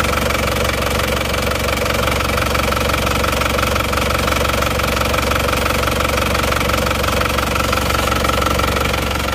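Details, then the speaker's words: Isuzu Panther diesel after repair for blow-by and oil spitting, one liner and piston rings replaced: steady even idle with regular light clatter, no misses or knocks; smooth running, though some blow-by still visible. "Jadi ini teman-teman Mobil ini walaupun ngobos kelihatan untuk suara halus Ya sudah oke mantap dan hasilnya pun juga sudah oke ini"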